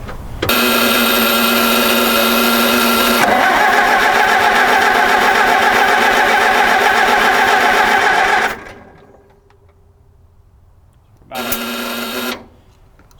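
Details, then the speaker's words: 1961 Oliver 550 tractor cranking for a compression test with the carburetor off and old grungy plugs: even starter spin with about four strong, regular pulses a second. Readings are about 135 on this cylinder, 145 on number four and 125 lowest, so compression is good. "about 135 on that cylinder um I don't know what the spec is but just based off of Prior experience that's actually pretty good I would say"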